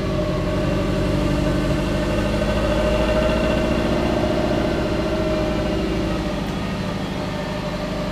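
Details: Twin-turbo (GT35/TD04) Subaru Forester idling after about 10 minutes to cure exhaust cement gasket: steady deep burble at about three and a half pulses per second, loud and droning; loud exhaust at idle.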